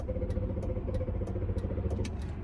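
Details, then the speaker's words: 2005 Range Rover L322 TD6 diesel, 190k miles, fuel injection fault, after priming fuel: starter chugs engine over with light rhythmic clatter but never fires; crank no start, suspected fuel system and/or glow plugs. "I don't want to flatten the battery so I'm not going to spin it unnecessarily we'll try again this problem could also be caused by glow plugs"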